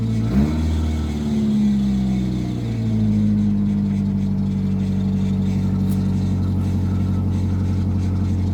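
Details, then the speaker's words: Nissan Altima that wouldn't start, running after fuel pump work and battery fix: engine catches and settles into a steady even run with a brief rev, no knocks or misses; runs normally. "It would appear that it runs, so I got the battery fixed. And as you heard, the car runs."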